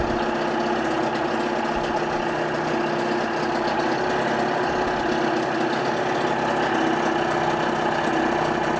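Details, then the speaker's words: 1988 Johnson 30 hp two-stroke tiller outboard, 140 psi compression, new plugs and impeller, cleaned fuel system, shifted into forward with the fan off and pumping water; steady even burble at low speed, no misses or knocks; normal idle in gear. "I will leave the fan off. It's gonna smoke, but I want you guys to hear the actual engine."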